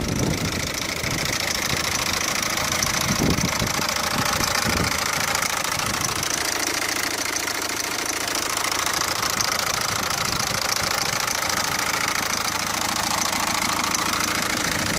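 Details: Peugeot 407 1.6 HDi diesel at idle, clip sent in by a viewer: a loud, hissy top end with a clattering tick about twice per second. An abnormal engine noise whose source is unclear.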